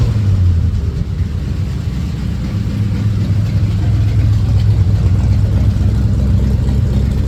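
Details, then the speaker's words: 1940 Ford Tudor at idle just after new tailpipes from an eBay kit were fitted (hangers and clamps not yet on): steady, even low rumble, no rasp or leak hiss; quieter than before, exhaust fumes no longer entering the cabin. Normal exhaust note. "let's try it thank you this is quieter I can tell"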